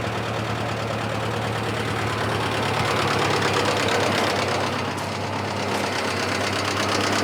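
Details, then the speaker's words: 1955 Massey Harris tractor, previous owner couldn't get it running, running after fresh plugs, wires, oil and filter: lumpy idle, irregular knocks about three per second, wavering beat. Owner suspects worn rings, seals, head gasket or cracked block; slightly better than before. "the tractor it's most likely worn rings seals head gasket leaks something like that maybe even a cracked block"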